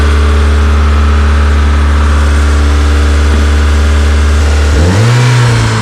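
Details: Honda EK Civic with a freshly built Vitara D16 turbo engine on its first start-up, radiator cap off; steady strong drone well above idle, brief rise and settle, stuck near 2000 rpm. Owner thinks it is an ECU setting and suspects the throttle body.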